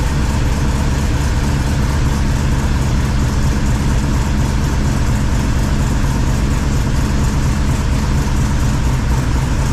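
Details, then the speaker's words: 1978 Chevy squarebody V8 with new 3-inch exhaust and Flow Monster mufflers, full roller rockers, first start after install: deep, steady idle with even burble, no misses, surges or knocks; slight valvetrain noise normal for roller rockers. "uh yeah seems to be running fine if you noticed when I walked around front there's a little valve train noise but if anybody's everever run full roller rockers they have a little bit of noise"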